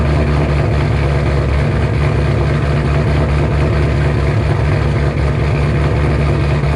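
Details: 2007 Shelby GT500 supercharged V8, first cold start after installing L&M NSR camshafts with Venomous Tuning tune: deep, strong, steady lope with no misses or knocks; idle expected to settle lower when warm. Normal cammed idle.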